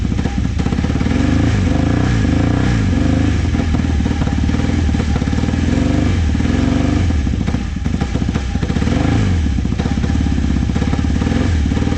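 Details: Vintage motorcycle from a trailer batch, started with starting fluid. Ragged running held up on throttle blips sags toward stalling whenever the revs drop, so it won't idle. Owner suspects the idle jets and says the carbs need cleaning.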